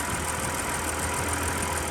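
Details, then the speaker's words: Breeze XR6 2.5 Aggressor six just started after 5 years sitting, no coolant yet: quiet, even idle with a steady low hum and no knocks or misses; the six sounds smooth and healthy. "And listen how smooth and quiet that is after sitting for so long."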